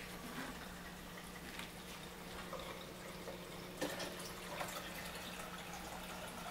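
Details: Frigidaire LFBD2409LF2B dishwasher in self-diagnostic test mode, step 7 DRAIN: drain motor activated to empty the tub, a 60-90 second test. A steady low hum under gurgling, splashing water, an even, normal-sounding drain.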